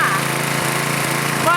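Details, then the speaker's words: Small petrol engine on a 2002 pressure washer after two bolts fixed its loose mounting, before the new governor spring is fitted: a steady, even beat with no rattle, running smoothly and healthy. "now it sounds just as good as the day it came home from the store the first time"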